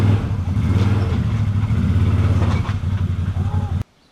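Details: ATV winch after cable replacement, pulling in cable: heavy low growl with uneven chatter about three times a second, then cuts off; abnormal rough-running winch noise, cause unclear.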